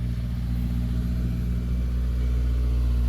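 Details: High-mileage AP2 Honda S2000 first start after starter connector was found unplugged: low even rumble with revs creeping up slightly, no misses, knocks or rattles; engine running healthy.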